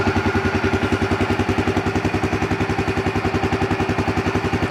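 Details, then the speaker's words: Yamaha Grizzly 300 ATV after a no-start/won't-stay-running fuel delivery fix with an aftermarket Chinese carburetor: the single cylinder ticks over at a steady, even beat of about three and a half pulses per second with no misses. "yeah it's got good idle good wide open throttle that little chinese aftermarket carburetor works pretty good"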